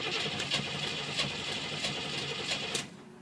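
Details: TPI engine no-start, testing purple/white reference wire pulse on AC volts (reading about 3.4): starter cranks steadily, chugging three or four times a second, never catches; cause unresolved.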